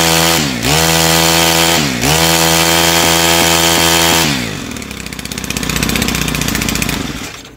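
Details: Stihl FS110R/FS130R 4-mix trimmer after valve adjustment fixing a hard-to-pull starter cord, new carburetor and repaired clutch: fires quickly, blips cleanly twice, holds smooth even high speed, drops back; healthy start and run.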